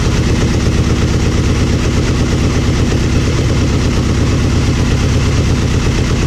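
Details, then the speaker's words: Aprilia Mille R V-twin idling after fuel pressure regulator and adjuster removal and cracked vacuum line repair: steady, even loping thump, no stumbles or misses; fuel pump whines until pressurized, then sounds fine, normal idle. "the fuel pump does make some whiny noise to begin with but when you turn it on it set it sounds it sounds fine I mean it sounds just like my other one did"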